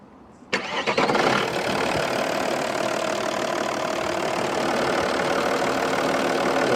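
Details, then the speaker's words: Audi A6 C5 2.5 TDI V6 (BDG) after head gaskets, lifters and rockers replaced, following intake bubbling after timing belt job: diesel cranks, catches and idles evenly, no knocking or bubbling in tank; normal idle. "мотор работает очень ровно. Сейчас в бачке не булькает. Тут всё хорошо, газы не прорываются, всё замечательно."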